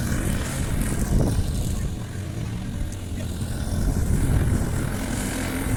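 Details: Briggs & Stratton Quantum engine on a Clipper lawn mower after spark plug work (previously wouldn't keep running after winter): steady drone dips slightly taking grass, recovers without stumbling; normal running under load.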